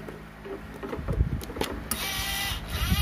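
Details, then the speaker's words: Oki 3000 voltage stabilizer (stavol) after replacing TIP41/42, RM324 IC and resistor: short burst of servo motor whirring and light clicks at plug-in, carbon brush moves then settles quietly, output 220 V AC; normal servo operation. "nah dia bergerak lalu ya Itu tandanya normal"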